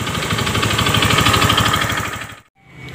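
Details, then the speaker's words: Honda BeAT FI scooter: rough fast metallic knocking about three per second over idle, then cuts off; worn connecting rod, engine split, connecting rod to be replaced. "jadi si suara stangnya jelas kedengeran ya jadi ini motor harus belah mesin dan ganti stang seher"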